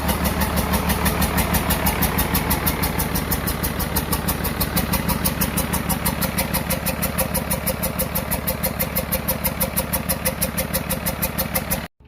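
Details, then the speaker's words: 12-valve Cummins P-pump from a 1994 Dodge 250, first test run after reassembly, each injector line bled: heavy, lumpy diesel clatter pulsing about three times a second before shutdown. Valve lash badly set; valves to be reset. "I got the air out but it still sounds like the valve sets really bad so I now that I've tested on it I'm going to reset the valves again"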